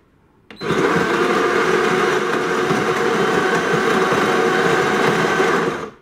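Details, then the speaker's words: DeLonghi ECAM coffee machine whose brew group sticks and won't come out: the brew unit drive whirs, creaks and grinds for five seconds, laboring against the stiff brew group; coffee comes out very thin. "tut ist schon ganz schön krachen so knarrend kratzen ja das ist ein deutliches indiz dafür dass es die brücke zu schwergängig ist"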